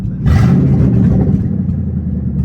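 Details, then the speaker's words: Ford Mustang drift car with the exhaust disconnected while the H-pipe was being replaced to cure a check-engine light: loud, choppy, flapping bark on the rev settling into a deep uneven rumble, likened to blowing bubbles; open exhaust. "It sounds like it's blowing bubbles. That sounds absolutely atrocious."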